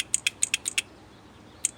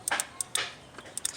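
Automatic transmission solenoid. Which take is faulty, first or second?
second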